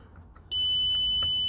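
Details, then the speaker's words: 2007 Audi A4 Convertible 1.8 Turbo, ignition on, fuse pushed back in: a single steady high-pitched beep lasting about a second, the roof system warning of its fault. "here cuz the system was beeping at her um because of her fault so I should remove the fuse"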